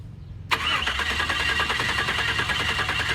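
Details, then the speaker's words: Turbo NBS Chevrolet Silverado cranks at a steady, even rate of about three compressions a second but never fires; a diode test light showed the fuel injectors firing, so owner suspects an electrical fault such as a ground wire or a fried computer. "Yeah, so the fuel injectors were firing. I pretty much put it up to something dumb was happening with the electrical system, like a ground wire, or I fried the computer."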